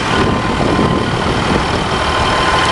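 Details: 1987 Freightliner all-terrain spray truck, diesel engine dry with no fresh leaks, clean oil and zero blow-by: big diesel at a steady low idle, even rumble with no misses, knocks or rattles; healthy normal idle.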